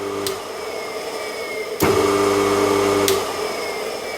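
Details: Single-phase electric motor of a workshop air compressor, first test run after bearing replacement: sharp switch-on click, then a steady, even hum with clean tone, no grinding or rumble; normal healthy run.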